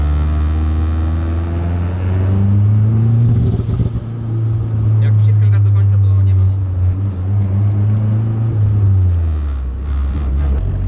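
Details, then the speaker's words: Nissan S13 Silvia (Sil80) on first road test; above 30% throttle it won't pull, air-fuel ratio about 9, running too rich; deep steady drone that barely climbs, flat lazy bogging under throttle. "I press the gas more than 30 percent the car doesn't the car doesn't want to go anywhere and the IFR is about nine right so it has too much petrol it means that it's running too rich right"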